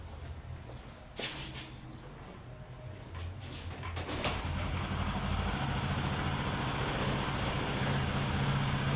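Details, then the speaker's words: Honda Pop 100 single-cylinder motorcycle after repair of an engine noise, in the workshop; low steady idle around 1000 rpm, even beat, no ticking or rattling; runs perfectly, noise gone, problem solved. "Tá em baixa rotação, tá? Tá em baixa rotação aqui. Tá em média seus 1000 rpm. Tá funcionando perfeitinha, sem barulho."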